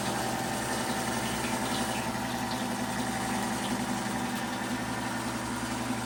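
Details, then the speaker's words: Rebuilt 90-year-old Gilbarco Model 80 (GMB 80) gas pump running and pumping diesel: steady, even motor hum with constant pitch, no knocks or rattles; fully operational. "Yes, she's running and she's pumping. She's fully operational."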